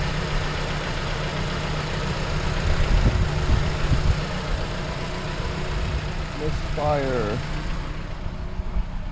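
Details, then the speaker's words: Van with check engine light on and code P0302, rough idle and no power after sudden surging while driving: low idle shake with an uneven, stumbling beat and dropped pulses. Cylinder 2 misfire. "so my wife said that she's driving down the road and all of a sudden the car is just surging or misfiring as you can see I started it and it's got a rifle idle on it no power"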